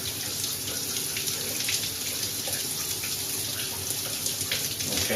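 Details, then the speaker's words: Grohe thermostatic shower mixer just replaced after the old one stuck fully hot or cold, water turned on and warming up; steady, even, unbroken hiss with no drips or spurting and no leak at the valve; normal flow. "So turn it on. There's fine. There's no leak from the valve itself."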